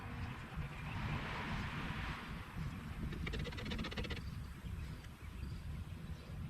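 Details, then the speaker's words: 1962 Ford C750 cabover, just after Holley carburetor clean and rebuild, no linkages set, not yet tuned: low, loose, slightly uneven idle; fuel starvation because the small tank isn't feeding the carburetor bowl fast enough. "we have a little bit of a fuel delivery problem because this small tank isn't feeding the carburetor bowl fast enough"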